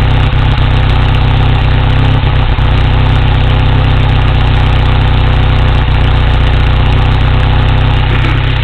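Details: 1987 Toyota 4Runner with 22RE engine at idle: loose, uneven chuffing beat about four a second instead of a clean rhythm; owner suspects misfire, cause unknown. Uneven idle.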